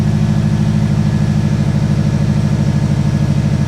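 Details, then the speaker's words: Freshly reassembled Subaru engine back in the car, first start: steady even low thrum at idle, about three pulses a second, no misses or knocks; normal idle, some smoke as intake is full of oil. "it sounds as good smoking because yeah like I said the intake of stuff is full of oil"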